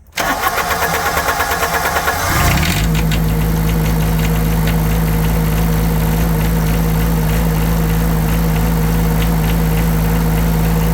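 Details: Yanmar 3TNV70 three-cylinder diesel on a Cat 300.9 excavator after new injectors and glow plugs: cranks, catches quickly, settles into steady even idle without knocking, much quieter; still heavy smoke, oil source unknown.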